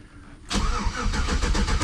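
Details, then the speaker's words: Chevrolet Silverado after an ignition switch replacement: the starter cranks the engine at a steady, even chug but it never catches. The fuel pump doesn't prime and there are no dash or check-engine lights; lost voltage to the ignition fuses is suspected. "the vehicle turns over. So, I'm not going to follow that quite yet. What I'm going to do, I notice the fuel pump's not kicking on."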